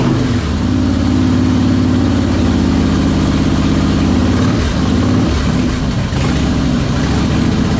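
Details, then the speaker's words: 2001 Harley-Davidson Heritage Springer V-twin, first start after long storage, oil added to cylinders: loud uneven lumbering beat with wavering revs; runs rough, spark and compression fine, owner suspects intake or carburetor, leaning toward intake (carb-to-intake gasket). "Like I said, it's running rough because I'm thinking it's a carburetor issue or it's the intake, and I'm leaning more towards the intake."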